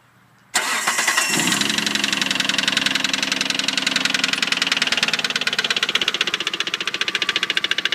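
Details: 1998 Mitsubishi 3000GT SL: engine cranks and fires, then a sharp, even knock of roughly three to four beats a second over the idle; engine knock.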